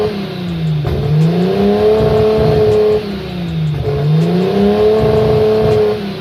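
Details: Nissan RB25 Neo engine with a high idle problem, during smoke and vacuum leak testing: idle rises and falls in slow swells about every three seconds, the pitch sagging then climbing back; a hunting, surging idle.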